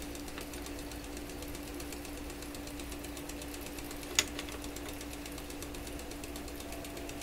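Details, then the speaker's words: Webster record changer motor in Electrohome Chippendale console, powered on after repositioning the motor, which slowed it: faint quick even ticking about four per second over low hum; owner suspects the rotor whacking something each turn, unconfirmed. "Really loose. Well, you know what it sounds? It sounds like the rotor is coming around and whacking against something every time it goes around."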